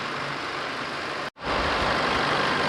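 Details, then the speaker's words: 2012 Chevrolet with a 2.5 diesel, brought in on a tow truck with a no-start, now repaired and recorded from outside: smooth, steady idle with no knocks, misses or hunting; starts and settles cleanly; normal idle. "นี่ก็ไม่มีเสียงเพจนะใดๆไม่มีเสียงเค้กไม่มีเสียงอะไรปกติขึ้นมาครับอันนี้นิ่มเลยนะนิ่งเลยคันนี้นะ"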